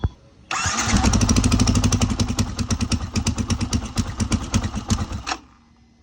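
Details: Racing single-cylinder engine with a 66.7 mm piston, after setting valve clearance to 0.08/0.09 (intake and exhaust values stated inconsistently), cover refitted: a crisp start, revving, then an even idle with no ticking; clearance sounds right.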